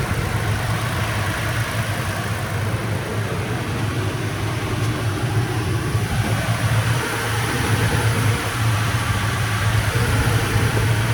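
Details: Third-gen Toyota Tacoma just after an oil change with Valvoline 0W20 full synthetic (6.1 quarts), done 500-600 miles overdue: smooth, steady low idle with an even beat, no knocks, ticks or misses; normal healthy idle.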